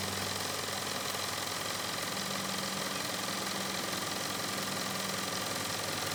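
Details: Nevadent water jet flosser (Lidl) on jet setting, emptying a full 130 ml tank in about 50-odd seconds: steady high buzz with fast, even pulsing under water hiss, no rattle or strain; pump working normally.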